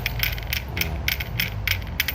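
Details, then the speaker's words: Vespa kickstart area with the engine running: quick metallic ticking, about four or five a second, over a low engine sound. A thinned or local-made kickstart part lets the kick gear catch the gear cluster; the noise stops when the kickstart is pressed upward. "Jadi kalau dia sedikit mernya, otomatis gigi selait. Nah, jadi mengakibatkan bunyi kayak gini."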